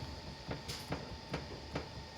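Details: Lada Xray steering rack with electric power steering, giving sharp even clacks about twice a second when pushed back and forth; the knock came from both sides, from rack-and-pinion gear play and a worn passenger-side bushing, and the rack was removed for repair.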